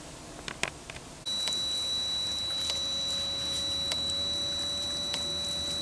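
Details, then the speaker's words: Reconditioned Webasto Thermo Top C diesel water heater, first test run on temporary 12-volt battery, new fuel pump: steady high whine with crisp tick about every second and a bit; dosing pump pulsing normally as the heater starts. "Well, we're getting some kind of action here. The pump is pumping, and hopefully we have ignition, I think."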